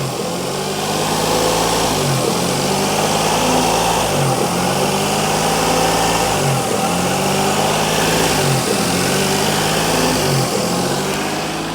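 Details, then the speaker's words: Renault Vel Satis driven with a wheel up on the jack, ABS light on: harsh scraping swells and fades about every two seconds as the wheel turns; owner thinks it's the brakes. "Nonetheless, that still sounds absolutely [Music] horrific. And well, I think it's just the brakes."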